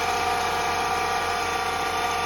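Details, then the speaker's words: 2016 Honda Civic that makes a strange noise at start-up and when revving: a loud, steady whirring grind over the idle, traced to under the A/C compressor, suspected pulley, before compressor replacement. "Voy a percatar que el ruido viene de abajo de el compresor de este lado"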